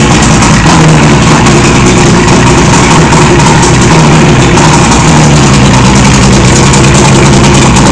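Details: 1976 Johnson 85 outboard with no choke solenoid: low, uneven idle with a wavering, slightly lumpy beat that never settles; owner unsure whether this is a rough idle, cause unknown.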